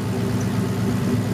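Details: Turbo Cobra after idle screw adjustment (previously idled near 500 rpm and died): now idles around 1,000 rpm or slightly lower, steady, smooth low rumble, no dips, no stalling at startup; normal idle.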